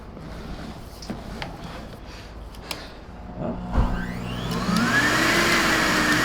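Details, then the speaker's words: Older yellow Numatic James JVP180 vacuum, heavily abused, dust-grey filter: handling clatter, then motor spins up to rising thin high whine; no suction, motor sound not right, cause not yet confirmed. "that's no longer on Oh dojin's has no subsea suckie right now so we're gonna have to fix that"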